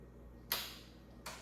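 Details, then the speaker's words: 2005 Kawasaki Ninja 500, starter tested with a car jumper pack: two sharp isolated clicks, no cranking; starter just clicks, owner unsure whether the motor is locked up. "it's definitely it's definitely clicking. It's definitely clicking. I'm not sure if the motor is locked up or something."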